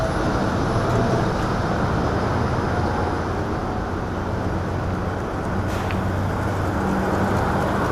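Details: Booth exhaust fan at startup after soft-start ramp-up (about 45 seconds), rotation checked visually and correct: steady, even rush of air over a low hum, no rubbing, rattle or wobble; exhaust fan running healthy.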